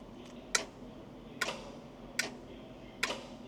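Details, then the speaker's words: Chieftain tank with a Leyland L60 multifuel opposed-piston two-stroke, being revived after years sitting, electrical checks before a start attempt: the fuel shutoff solenoid gives sharp, crisp clicks less than a second apart when powered, so it pulls in and works. "Something made a satisfied click, which is good."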